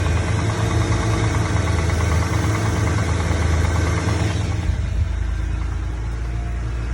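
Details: N54 engine idling with a deep, steady knock about three times a second beneath the running sound; rod knock suspected, not confirmed.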